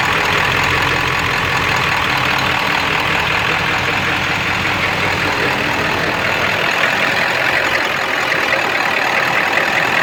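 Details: Ford 7.3 diesel at high idle with no power, puffing blue-looking smoke smelling of raw diesel, EGTs good: loud steady clatter with an uneven, lumpy beat underneath; running rough, cause unclear.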